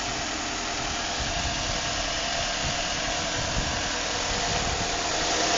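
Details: 2006 Nissan Altima 2.5 S: steady idle with a loose, uneven tapping knock about three to four times a second over a hissy background; origin unknown.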